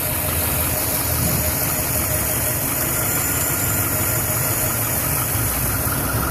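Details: 2011 Silverado 5.3L V8, 126,000 km, after sitting 8 hours: struggled to start, then idles rough, lumpy and shuddering as if about to die, with light ticking; valve cover with built-in PCV recently replaced; cause unknown.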